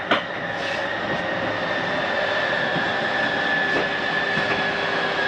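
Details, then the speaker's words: 2019 Grand Design Reflection 315RLTS slide-out retracting: steady high-pitched motor whine over a low hum, even throughout; normal slide-out motor operation. "It's okay to hear that. Nothing's grinding. That's the slide mechanism telling itself not to come in any further."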